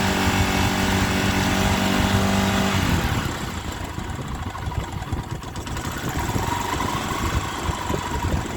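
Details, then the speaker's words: Honda Sonic 125 that would not start, with new carburettor flooding from dirt: fuel line replaced and fuel filter added, now it starts, cover left off to watch for flooding. Engine catches and settles into an even, regular idle, no misses; normal idle. "ติดแล้วนะครับแต่นี่ผมยังไม่ได้ประกอบตัวนี้เพราะอะไรเพราะผมจะดูว่ามีน้ำมันท่วมหรือเปล่า"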